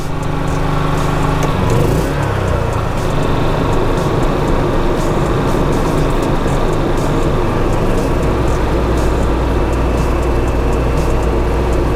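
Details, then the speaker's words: Generator powering a Dometic Penguin 13,000 BTU RV rooftop AC after Micro Air Easy Start 364 install: steady low hum, only a brief dip as the compressor kicks on, then runs quieter and easier; normal running under load. "you can hear how much quieter and easier the generator runs when the compressor kicks on the difference is amazing i think we can call this a successful installation of the micro air easy start"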